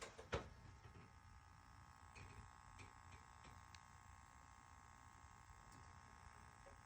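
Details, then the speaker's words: Juno LED retrofit light in a Halo recessed can makes a faint, steady high-pitched buzz, phone held close; the buzz stops when the light is lowered away from the can and persists near it. "this is a Juno retrofit can light and it makes a buzzing sound"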